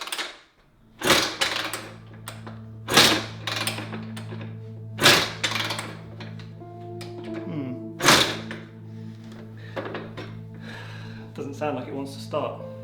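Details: Rebuilt barn-find 1991 Honda CR125 two-stroke, no coolant in radiators, kickstarting; kicks about every two seconds as dull thuds that never fire; spark plug removed bone dry.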